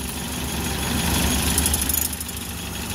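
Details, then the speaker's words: Suzuki Carry 1.0 petrol engine at idle after repair: the earlier rough, knocking diesel-like clatter from the engine area (timing cover cushion suspected worn) is gone, leaving a steady, even low hum; normal idle. "tidak seperti sebelumnya sebelum dibongkar ya lur. Ini sudah jelas banget berbeda."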